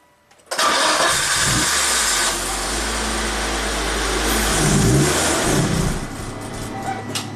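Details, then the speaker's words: 2004 Volvo XC90 T6 twin-turbo, usually crank-no-start, with MAF and crankshaft position sensor codes: cranks, catches and flares briefly, then fades within seconds as if out of fuel; crank sensor suspected, unconfirmed. "it sounded like it you know opened up the throttle whoa but then we ran out of fuel or something"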